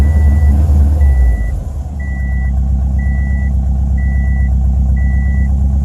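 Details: 2007 Subaru STI: lumpy, erratic idle with a stumbling low rumble and misfire reported on all cylinders, under a steady warning chime beeping about once a second.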